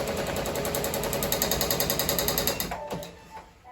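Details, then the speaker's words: Ricoma MT-1501 embroidery machine; fast even ticking, about three and a half per second, over the machine's whir as a needle bar catches at its gap, needles likely bent during a move. "I'm gonna try and see if I can tie it a little bit to the side, so the ticking doesn't go. At least doesn't tick. And number 3 is gonna tick it also too."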